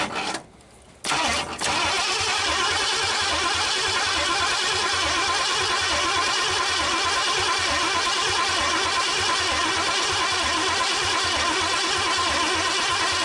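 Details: 1959 Ford Galaxie Fairlane 500, off the road since 2010, on its first start attempt: steady fast cranking at about three turns a second that never catches. The fuel line to the gas can gave no fuel, so a failing fuel pump is suspected, not confirmed.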